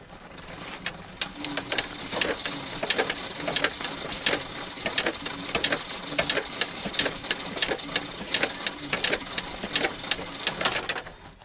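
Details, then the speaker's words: ZIL crane truck petrol engine after 20 years standing, cranked by starter with hand-crank help, clutch pressed, starting spray used, no throttle given; even ticking turnover about twice a second, never fires. Cranking no start; starter suspected. "Нету признаков жизни. Что-то в глазах потемнело. Я забыл дать газ."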